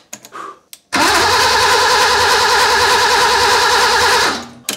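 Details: BMW E30 cabriolet six-cylinder, first start after engine reinstalled, with booster: starter churns engine evenly about three seconds but it never catches, then winds down; crank no start.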